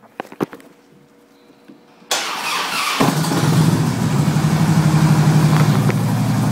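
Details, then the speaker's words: 2008 Harley-Davidson FLHT Electra Glide Standard, first cold start after winter storage: starter cranks about a second, then V-twin catches and settles into steady, even loping idle; clean first start. "on there it is running like a true Harley"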